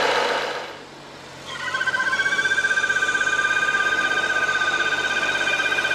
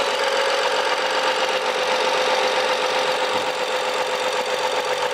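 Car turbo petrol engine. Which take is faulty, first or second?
first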